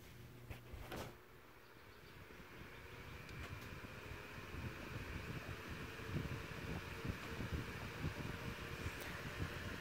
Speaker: so for a fan this size this is actually quite a lot of air movement